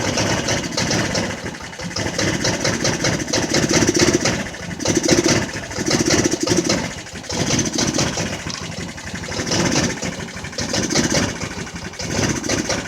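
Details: Jonway Xpressway 250cc scooter that wouldn't start at all, after first repairs: runs unevenly, revs rising and sagging every couple of seconds with ragged firing between; surging and stumbling, cause unresolved.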